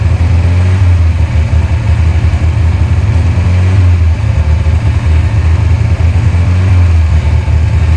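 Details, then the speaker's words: 1992 Volvo 940 wagon running with no coolant, milky oil and a bone-dry transmission, smoking from the sides and bottom: loud, rough fast-idle drone with a rapid, uneven clatter. The engine is clacking; cause unconfirmed. "It is smoking from the sides and bottom pretty good. Problem is, it's starting to clack pretty good."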